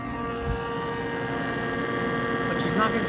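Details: Kitchen exhaust hood blower that keeps tripping its breaker, with the hood siliconed shut. Steady droning hum with a coarse rumble and faint scraping underneath: worn blower bearings and a dirty fan wheel rubbing.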